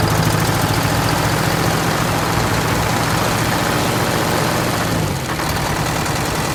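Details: 1969 International 400 dump truck, Detroit 8V-71 two-stroke V8 diesel, after cracked bell housing chained shut and air starter used, fuel stabilizer and cetane boost added: loud fairly steady busy, raspy idle, no misfire or knock; normal idle.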